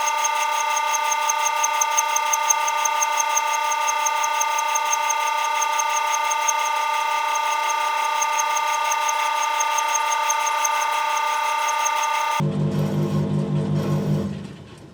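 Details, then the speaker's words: Electrolux 5/6 kg clothes dryer, drum turning clockwise, microphone at the rear: steady humming drone with a light regular tick about three a second; owner suspects a worn drum bearing, possibly something stuck inside; unconfirmed. "But yeah, I think this, to be honest, I have a feeling it's the bearing. I think the bearing is totally stuffed in there."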